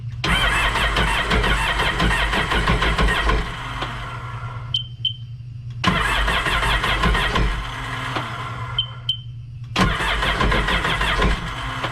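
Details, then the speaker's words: Supercharged Sea-Doo Sportster that sat for years, with water in the spark plug holes: repeated cranking bursts of about four seconds, starter churning steadily, engine never fires. Cranks but will not start; owner suspects water in the gas. "so my guess is it probably has water in the gas and that's the reason why it's not starting"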